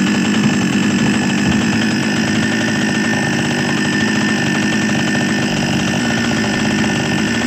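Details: Small Chinese two-stroke chainsaw, previously hard to start, runs again after a simple fix; steady, even buzzing idle with no stumbling or surging, running cleanly.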